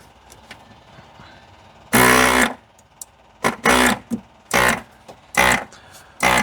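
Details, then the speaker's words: 1993 Geo Tracker with three-cylinder Yanmar diesel, sat 8 years: electric brake vacuum pump buzzes in half-second bursts repeatedly, won't shut off; vacuum switch adjusted, suspected too sensitive or a leak, unconfirmed. "Why is it doing that unless there is a leak somewhere? Huh. That vacuum switch, it's too sensitive."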